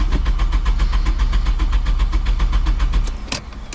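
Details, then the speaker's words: Nissan Primera SR20DE manual that died after idling about 15 minutes and won't restart: steady starter cranking about four beats a second that never catches; cranking no start, no power at fuel pump wires. "just conked out after idling for about 10 months and now this won't even start"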